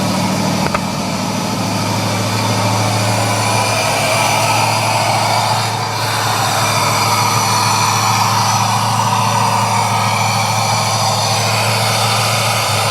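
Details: Joe's 1969 Camaro V8 on Holley Terminator X base tune, second crank after full oil prime: fast steady idle well above normal with strong intake hiss; idle air control valve stuck open.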